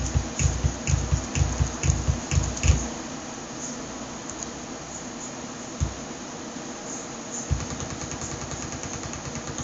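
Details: Computer speakers under Ubuntu 10.10 give bursts of rapid low thumps with thin high chirps at start-up and at random times during a session.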